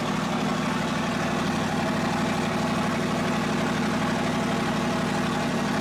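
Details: 2023 Corvette C8 Stingray V8 cold start, warming before a DCT fluid change: deep, steady rumble at an even fast idle, smooth burble, no knocks or misses; normal cold-start idle.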